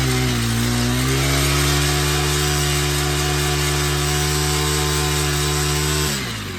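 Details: Honda Harmony FG100 small tiller, carburetor fixed after sitting: steady, even single-cylinder drone holding constant speed, then easing off at the end; runs cleanly and smoothly; normal running.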